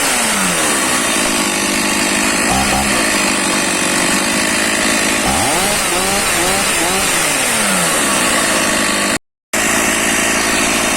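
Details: Stihl MS460/461 chainsaw, cold start after refuelling with 20 ml oil per litre mix, started on choke with decompression valve: crisp two-stroke buzz revving up and dropping back smoothly, clean even firing while warming; normal running.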